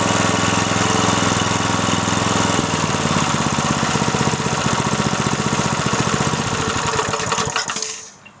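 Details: Briggs & Stratton 3.5 hp single, likely little-used, after carburettor clean: runs crisp and even with steady firing, no misses, then winds down cleanly at shutoff; healthy engine.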